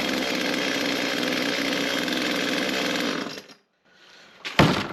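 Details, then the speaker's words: Echo CS-355T chainsaw after primer bulb replacement (part 188-512-1) and fuel lines rerouted: steady high two-stroke buzz held evenly about three seconds before shutoff; saw runs properly, repair successful. "Alrighty, I think that's got us a chainsaw working. I think we'll call that a project well done."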